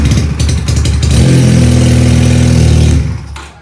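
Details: Benelli PE 250 FI motorcycle that was eating spark plugs: it starts but won't rev. The engine catches and settles to a fast, lumpy idle far above the Benelli standard; a faulty MAP sensor was found causing the high idle.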